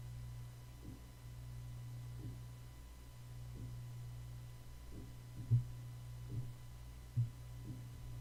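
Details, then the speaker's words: Soft, dull thumps about once a second over a steady low electrical hum, picked up by an Audio-Technica AT2020 condenser microphone during a background-noise recording: a dying computer hard drive thumping. "So did you hear that thumping? That's the hard drive. And this thing's still dying."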